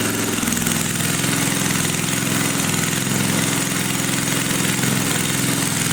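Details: 1980 power tiller (rotovator) with Briggs and Stratton engine, running after spark was restored; carburetor cleaning may not be needed. Single-cylinder engine at a steady, even beat with no clacking or stumbles; normal running.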